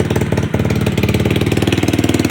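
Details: SSR pit bike after carburetor rebuild: a quick, even popping idle with a steady beat and no misses, knocks or hunting; the little engine is running clean. Normal idle.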